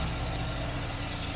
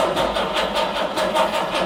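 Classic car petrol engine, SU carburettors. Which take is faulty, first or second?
second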